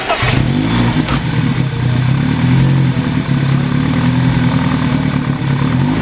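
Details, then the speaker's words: BMW E30 "Betty" after all three belts were replaced and tightened; they had squealed like a wild turkey before. The engine catches and settles into a steady run with no squeal or chirp from the front; normal running, no belt squeal. "oh she sounds so much better"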